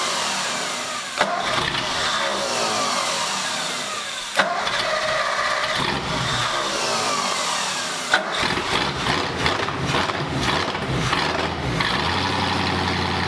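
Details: 1939 Ford hot rod V8 first fired after fitting Ford ram horn manifolds and a new custom true dual exhaust: several seconds of cranking with a few catches, then it fires into a deep, even burble and runs cleanly.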